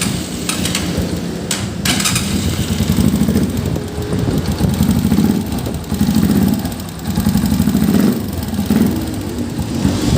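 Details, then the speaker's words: Honda TMX 125 pushrod engine at 3,847 km, before valve adjustment: steady single-cylinder idle with light quick ticking from valve clearance grown larger on a new bike; said normal and harmless, fixed by adjusting clearance, not replacing pushrods. "natural po yan ha normal pong nangyayari yan na lumalaki po yung valve clearance natin So Hwag niyo pong ikabahala yung nagti Hindi po to masama sa motor dahil push Rod type engine po yung ating motor"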